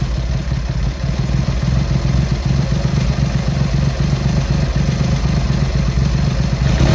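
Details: Triumph Hurricane X75 triple, not fully warmed up, after carb rack rebuild, pilot screws richened and left carb adjustment corrected: steady, even low burble, no misses or hunting; smooth idle, slightly rich with dark smoke off idle.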